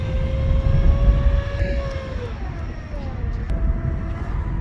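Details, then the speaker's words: 2006-on Honda Civic 2.0-litre while driving: a high-pitched whine rises with road speed, persists when slowing, and changes pitch with the AC on; accessory pulley or bearing suspected. High-pitched whine rising with speed. "When I slow down, the whine is still there. Just keep whining. The faster I go, the high pitch, the whine that come up."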